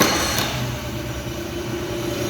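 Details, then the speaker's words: Honda 50 hp carburetted outboard after idle was lowered from about 2000 rpm to about 900 rpm, curing gearbox noise, harsh shifts and shaking: after a sharp knock at start, it settles into a low, even idle with no hunting. "Şimdi benzin hortumu çekik rolenti seviyesinde. Bu bana geldiğinde 2000 devirdeydi. Rolentisi yüksekti."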